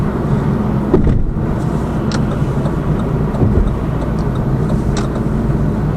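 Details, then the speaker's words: Lada Vesta Cross with AMT 2.0 after shock absorber struts replaced, driving loaded with five people, camera on driver's head: steady tyre and road rumble over rough surface, no knocks; quiet suspension. "а подвеска работает сейчас достаточно tisha после замены амортизаторов"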